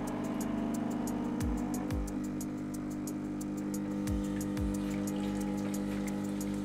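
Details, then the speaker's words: Nivona 930 espresso machine grinding coffee; customer reports a howling noise, especially when switching off: steady pump drone with low hum and quick ticking rattle, judged within normal loudness; drain valve found installed backwards by previous service. "Słuchajcie, Nivona 930 według klienta jakiś wyjący dźwięk, zwłaszcza przy wyłączaniu."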